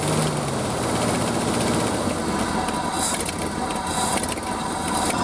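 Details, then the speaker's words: Early-1970s Ford F-350 after about 7 years sitting, idling on old gas with oil pressure about halfway: rough, steady idle with a raspy puffing hiss underneath, consistent with an exhaust leak. "Alright, it's actually sitting here idling on old gas. Sounds like it's got pretty good exhaust leak down here."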